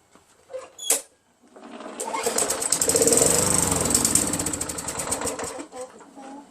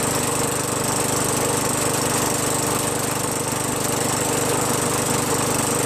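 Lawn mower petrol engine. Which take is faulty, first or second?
first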